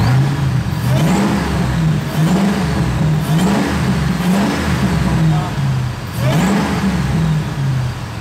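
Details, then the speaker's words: Supercharged Ford SVT Lightning V8 revved after fixing a misfire by fully seating a loose PCV hose: deep even rises and falls, clean climbs with no stumble, idles down smoothly, tailpipes no longer shaking. "that's smooth guys that is very smooth remember before this was shaking around it just idled down the tailpipes aren't shaking"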